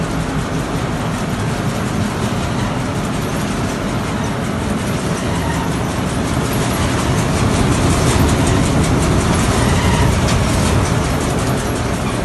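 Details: Petkus K527 seed cleaner after major overhaul: even, steady shaking clatter at about two and a half beats a second with no knocks or surges; normal running.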